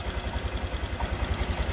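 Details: Honda Vario 150 scooter with a complaint of dying when throttled on morning cold start, after reassembly; steady, even low putter with quick regular pulse and faint high whir on top; idles smoothly, normal.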